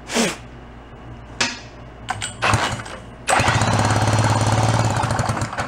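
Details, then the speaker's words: 49cc fold-up suitcase scooter, sat 40+ years, reportedly never ran: separate pulls, then steady cranking three to four beats a second with good compression but no firing; faulty condenser suspected, possibly original problem. "It had an issue. You know, they said it never ran, so we may be chasing the original problem."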